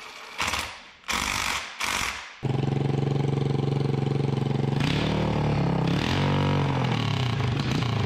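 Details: Freshly rebuilt 1988 Honda TRX200SX single-cylinder engine, out of frame, bored .020 over, new crank bearings and seals; three short cranking bursts, then catches and settles to steady even thumping idle, no knocks; runs like new: normal idle.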